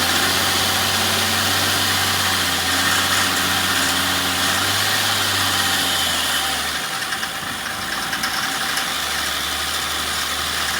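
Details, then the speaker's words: Jeep Comanche MJ engine first running after sitting, oil checked: fast light regular tick about four per second over rough idle until it stumbles; owner hopes it is valve lash or lifter tick from sitting. "well it runs I'm hoping that that was some valve lash you know some lifter ticking because it's been sitting"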